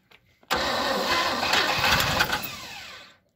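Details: 1957 Chevrolet 210, first start attempt since 1991, with throttle held open on starting spray. Quick cranking with rough, uneven bursts; it catches for a few seconds but won't keep running. Engine cranking and briefly firing.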